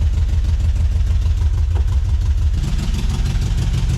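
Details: 1970s VW bus (1976 or 1978) revived after sitting over 10 years. Steady, even air-cooled thrum at idle with no misses, ticks or knocks: normal idle.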